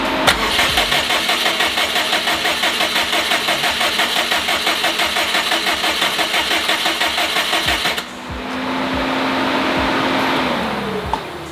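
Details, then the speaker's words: 2014 Subaru WRX hatchback, stock OEM EJ255 reinstalled with new engine harness, compression 130 psi on all four and timing correct; starter cranks steadily about eight seconds then a brief uneven catch that fades, hard start, later ran poorly with misfires, cause unclear. "I eventually got it to start, but it would not run well at all."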